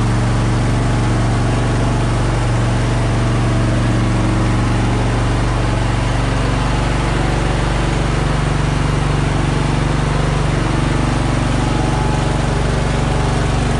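Loud, steady low engine drone with a slightly uneven pulse around two and a half per second: it's running rough, cause unclear.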